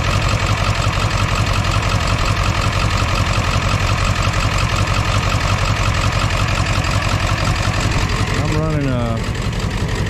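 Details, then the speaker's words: 2001 Ford F-450 7.3 diesel idling with an uneven, lumpy clatter on four cylinders; codes P1316 and P1271/P1274/P1275 high-to-low side open. It is the same after a computer and IDM swap, and wiring or injectors are suspected. "i got her to fire up but she sounds exactly the same on a different computer in a different ibm so we're going to be into wiring or maybe injectors"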